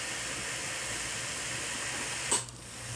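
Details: Atlas model locomotive after truck repair, motor tested at high speed on easy rollers: even high-pitched whir and hiss, steady with no catching or grinding before dropping off; the motor runs smoothly.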